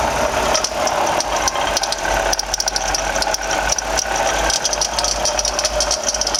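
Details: 2007 Toyota RAV4 V6 idling: constant gritty rattle and high hiss steady with engine speed, pinkish coolant leaking around engine block and pulley; bad water pump bearing noise.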